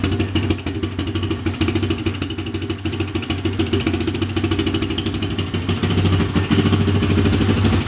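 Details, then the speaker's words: Big Bear ATV single-cylinder engine on first start after top-end rebuild (honed head, new valve seals, head machined): steady even fast-idle thump, no misses or knocks, no smoke; healthy. "no smoke so that's a good sign no smoke"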